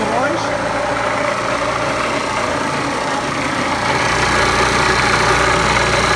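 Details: Scooter bought cheaply on eBay, previous owner reported engine damage, started before engine removal: busy, rattly two-stroke idle with a fast, fairly regular clatter under the exhaust buzz. Owner suspects a crankshaft bearing failure, unconfirmed.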